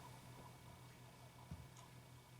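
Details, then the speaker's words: Brand-new purge solenoid for a 2004 Honda Accord EX 2.4L four-cylinder (P0443), plugged in but not mounted, switched on and off: only faint light clicks, a good though not foolproof sign it works; normal purge solenoid click. "so you can see just makes a little bit of a clicking sound but that's a that's a real good indication that it's working"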